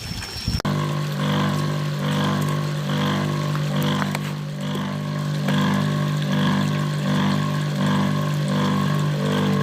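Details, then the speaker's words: Electric water pump, freshly from a customer and primed with water, hums with a gritty churning roughness pulsing about once a second, only foaming and not lifting water. Rough running, before repair. "sudah kita pancing dengan air dan di sini hanya berbuih alias berbusa ya dan ini bunyinya kasar ini friend"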